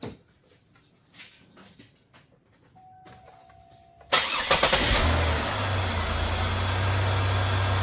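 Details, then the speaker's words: 2002 Buick LeSabre after a rough winter, first start after fitting belt on crank pulley during maintenance: cranks, fires in about a second, settles to steady even idle, no belt squeal; runs fine. "Yeah, it looks like we are running fantastic."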